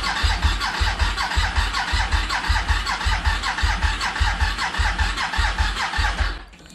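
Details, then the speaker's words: Suzuki SV1000S salvage project bike, first start attempt after priming the fuel pump with the clutch switch depressed. Laboured, uneven cranking at under two turns a second that never fires. Slow cranking with no start, suspected flat battery. "she's cranking which is a good side I'm not sure how much feel though isn't it okay we've got a flat battery"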